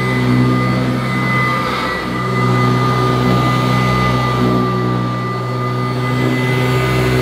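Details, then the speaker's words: Kirby Classic III vacuum cleaner at first run after unboxing, strong suction at the head: sharp, constant high tones over the steady motor roar, never wavering; an abnormally shrill motor whine, cause unknown. "well it certainly acts like a kirby it's got tremendous suction at the head I could see it lifting up the carpet but it's got an ear piercing tone to the motor which I don't expect from a kirby"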